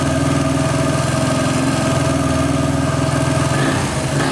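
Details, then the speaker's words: 1999 Honda XR250R dirt bike, previously flooded, after top-end rebuild with fresh oil and timing set, first start: steady thumping idle with a faint quick tick about three per second; top-end ticking, cause unknown, oil pump flow uncertain. "I hear a slight ticking. I don't know why that would be."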